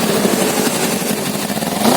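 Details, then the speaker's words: Fuel-injected Kawasaki Z250 with no warning light that runs rough at low rpm, won't idle and sometimes hangs at 3,000-3,500 rpm, with pungent black exhaust smoke and heavy fuel use: a ragged, stumbling note; rich misfire. "kita Nyalakan dulu nah nah Tut gitu suaranya kelihatan enggak ya ini asapnya hitam"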